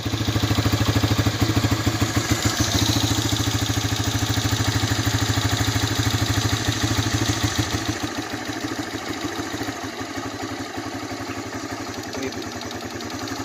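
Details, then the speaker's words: 1985 Honda Big Red 250ES after long cranking following sitting, weak battery; finally fires, single cylinder chugs unevenly and sags, cold on choke, struggling to stay running, smoking quite a bit, tends to die. "finally ran battery needs to charge for a while for sure finally goes i'll call this long start smoking quite a bit"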